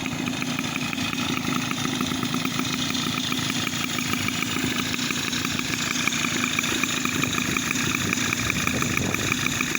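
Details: 2002 Tomos Sprint two-stroke moped with new Parmakit CDI and parts installed, jet size not yet correct. Buzzy two-stroke at a steady, fairly quick idle with a crisp, even beat, no stumbling; runs normally.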